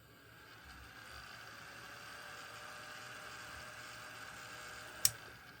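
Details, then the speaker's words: Mustek PowerMust 530 Plus UPS with an added cooling fan, heard with the case open and the transformer humming. Quiet, steady airy whir over a faint constant hum with one click; the fan is running normally. "Если что, гудит транс. Включаем кулеричек. пошел работать кулер."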